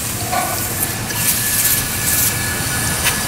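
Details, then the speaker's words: 7-1/2 gauge Clishay live steam logging locomotive, gravity-fed injector running with water valve then steam opened: steady, even steam hiss with faint rushing water and little overflow, no sputter; injector feeding properly, sight glass rising. "hear it actually running hissing a little bit overflow but not much water"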